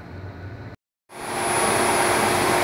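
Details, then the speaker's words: Nissan Sentra converted to electric, compressor running after its oil was replaced, now quieter than before; after brief silence a steady, even whir with thin high whistle, no knocking or grinding, compressor running normally. "is the compressor working uh I realized that once I replace the oil is more quiet than before it's quieter"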